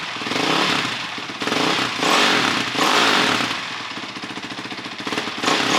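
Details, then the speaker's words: 2006 Honda CRF450X with a 450R head, freshly rebuilt top end. Electric-started, it revs crisply in quick blips, rising and falling cleanly with no knock or miss, climbing into the RPM fast. Healthy, free-revving running. "But it sounds good, it revs super fast, gets in the RPM super well."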